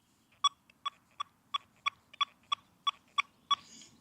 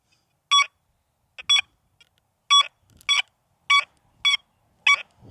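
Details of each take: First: XP Deus II metal detector iron settings at a high recovery speed, quick run of sharp, evenly spaced beeps, about three per second, cleanly separated over nail targets; fast target response. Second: XP Deus II metal detector, reactivity lowered to zero, coil swept over a target: clear high tones in pairs on each sweep, each slightly drawn out; the longer signal expected at minimum reactivity, which shortens at setting five.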